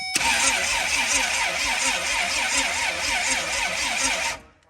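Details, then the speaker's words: Rear-wheel-drive Honda Civic race car, jump box wired directly to the starter: slow, labored crank at about 80 rpm with voltage dropping from 12 to 8 V under heavy load; suspect butt connector in the starter wiring. "So that was 80 RPM, and you see like the volts here went from 12 to 8. So there's a big load on it."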